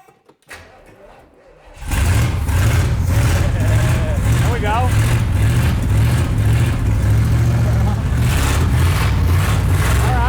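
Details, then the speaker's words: 1968 Chevelle barn find stored about forty years, old-school starter, carburetor suspected not working, little fuel in tank: cranks then catches into uneven, lumpy surging rumble, dies at the end; smells like burning. "Kind of runs. It died at the end there. But it got going a little bit."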